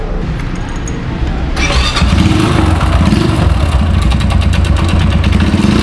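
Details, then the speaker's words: 2017 Yamaha YBR 125 ESD engine catches and runs with a harsh, uneven internal clatter under a low rough beat, like loose metal or stones tumbling inside; owner suspects something has come loose internally, before full engine teardown and restoration. "कि मुझे तो लगता है भाई सीधी बाजू है इस मैं किसी ने पत्थर तोड़कर है इसको खोल के इसमें पत्थर फैंके इसके अंजु है ऐसे लग रहे हो कोई चीज बीच में खुली हुई है"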